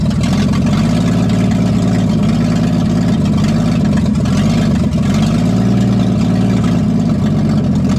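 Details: 1962 Ford F600 after long storage, running on Berryman's, extra loud from a cracked exhaust manifold. Loud, deep, uneven lumpy idle with exhaust rasp; rough running.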